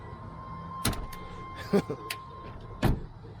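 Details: 2008 Jeep Patriot bought from a Copart auction, apparently hit something: door opened or closed gives three sharp clunks about a second apart with a dry scrape; door hinge appears damaged and likely needs replacing.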